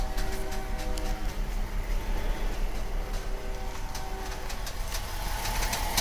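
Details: VW Atlas electromechanical power steering creaking when turning lock to lock at idle: a motor hum swelling during turns with scattered creaks and ticks from the steering rack underneath, not the strut bearings. This is per TSB 48-20-01: excess tension between the servo motor and the gear housing, fixed by loosening and re-torquing.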